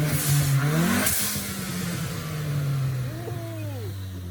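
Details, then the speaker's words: 2016 EcoBoost Mustang, new engine 5,000 miles ago, E85 tune, big turbo, freshly started with oil and coolant, warming: clean blips with a sharp blow-off valve hiss on lift, revs settling smoothly; healthy turbo engine. "All right, she's alive, she's running, it has oil, it has coolant, so we're gonna let it warm up and hit it 1-2 time, hear that blow-off valve."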